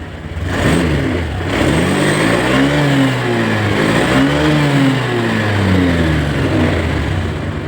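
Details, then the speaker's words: Honda Scoopy scooter, after being revived by spinning with a drill, now starting on its own starter; mechanic suspects dirt on the magneto after sitting about a week. Catches and settles, revs rise and fall cleanly with even firing, no knocking. "Kita kunci kontak on. Kita starter. Eh, hidup, Teman-teman. Normal semua."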